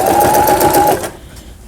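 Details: Toyota Simple 10 household sewing machine from 2002, after repair of a thread-breaking fault around a spring part: a quick, even whirring stitch for about a second, then a clean stop with no knocks or drag. It is sewing properly.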